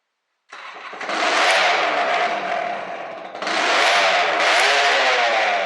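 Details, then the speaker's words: Honda NSR 125 two-stroke with a reed valve, first start after sitting two years, about 3 ml injected to start it: it catches and holds a raspy, crackling, very loud rev; owner wonders if the muffler was gutted. "well that was easy this thing is loud I don't know if somebody went into the intruder muffler and cut it out or something"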